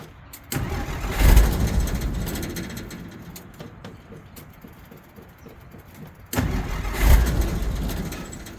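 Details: 1963 Jeep Gladiator, hard to start, battery possibly low after the key was left in the ignition. Two cranking bursts catch briefly and die; the engine turns but won't run. Owner suspects the electric fuel pump or the fuel tank.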